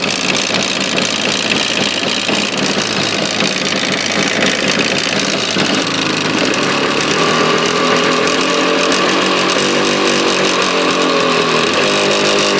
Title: стук в двигателе явы